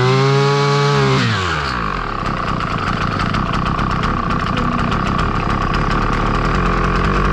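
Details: Husqvarna 553 RBX brushcutter two-stroke, previously non-running, after its blocked hole clogged by an insect nest was cleaned: high rev drops quickly, then settles into a strong, even buzzing run; sounds healthy.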